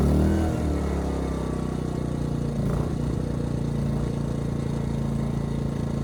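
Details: Ryobi RYI2300 inverter generator, 15 months old, after fix: stalling under heavy load solved by turning the easy-start knob further. Dips briefly as load comes on, then steady even drone without hunting or stalling; holding load fine.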